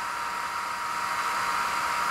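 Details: Mecpow X3 Pro 10 W laser engraver at first switch-on with no file loaded: the laser head fan spins up into a steady, even airy whoosh with no ticking, rubbing or wavering. Running normally.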